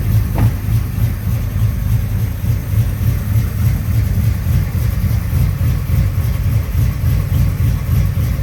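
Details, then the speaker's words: 1983 Chevy C10 step side, 383 stroker V8 installed about 20–21 years ago, cold start: catches quickly and settles into a deep, fairly steady idle rumble with no knocks or misfires. Runs phenomenally, a normal cold-start idle. "but it does start now and runs phenomenal okay let's do a cold start on this 1983 Chevy C10 with a 383 stroker in it"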